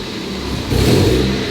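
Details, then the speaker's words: Mazda Miata, engine slightly warm, revved from the engine bay before a 30K service of spark plugs, ignition wires, fuel filter and PCV valve: brief low-rpm stumble before revs climb, not picking up cleanly; cause suspected, not confirmed. "you can notice a little bit of stumble and the car doesn't rev up right away"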